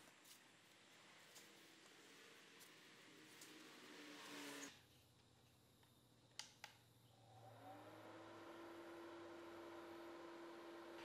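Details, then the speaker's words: Homemade bladeless wooden fan on test, upper rings held on with blue tack: small motor spins up to a steady mid-pitched whine, labored and breathy, the fan struggling to pull air in. "Well, that actually works, so not a disaster, although I can hear the fan struggling to pull air in, so I've decided to get rid of the base with the battery holder and put some feet on to raise the base and let more air in through the underneath."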